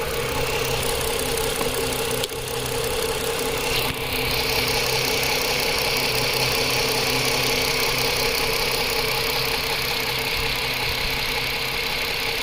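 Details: 2010 Chrysler Sebring 2.7L convertible, bought running then started running rough; after new flex plate and EGR fix, steady but rough, uneven idle; scan shows no injector pulse width on cylinder two, single-cylinder misfire, not the crank sensor; connector found broken, coil swap tried.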